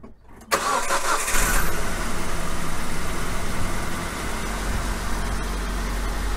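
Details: 2003 Nissan Frontier XE 2.4L four-cylinder, mic close to engine, restart after fuel pressure regulator replacement for hot no-start (hard starting after 20+ minutes' heat soak): brief cranking, then catches and settles into a steady, even idle; normal start.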